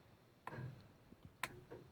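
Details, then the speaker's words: New Holland 900 harvester with newly wired control box, not yet running: a couple of crisp clicks in a quiet setting as the feed-roller clutch engages when switched to forward; normal engagement. "when you put it in forward you can hear the you can hear the clutch engaging"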